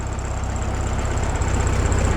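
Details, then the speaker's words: 1967 VW Bug air-cooled flat-four after oil-leak repair with belt re-tensioned: steady, even low idle with smooth rhythmic putter and no knocks or squeals; sounds good and quiet; normal idle. "Sounds good. Quiet."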